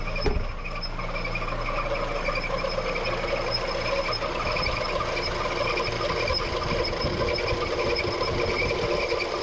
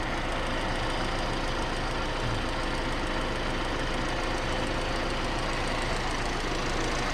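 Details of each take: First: Petrol engine idling with a steady high squeal from the accessory belt slipping on its pulleys; belt replaced three times and bearings changed without help, before a dressing is applied to the belt. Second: Petrol engine idling with busy mechanical clatter and no belt squeal after the alternator, its bearings and the tensioner roller were replaced and an old home remedy was applied to the belt; it restarted without whistling.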